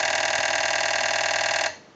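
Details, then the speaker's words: TP6A military rotary desk telephone during a ring cycle sent from an analyzer: a fast, even mechanical buzzing for about 1.5 s from the ringer solenoids, not the bells. The phone rings in properly; normal ringer operation. "now that we know that this telephone is ringing in on a ring cycle and you hear the mechanical noise from the Silla nodes and actually not the bells at all"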